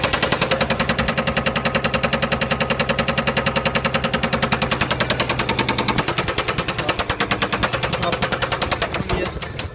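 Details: Chrysler 300C CRD with OM642 diesel: loud, hard machine-gun-like clatter about three a second over rough, uneven running, with misfire and white smoke; owner wonders about spun bearing, big ends or piston rings, cause unknown.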